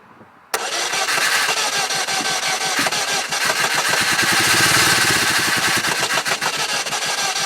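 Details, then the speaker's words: 2000 Saturn LS 2.2 four-cylinder in Michigan snow, no-start for a week, quarter tank of gas, battery fully charged: cranks, then chokes and sputters unevenly, never settles, dies down and starts over; cause not found. "it chokes and sputters it goes it sounds like a llama goes and then it dies down and starts over"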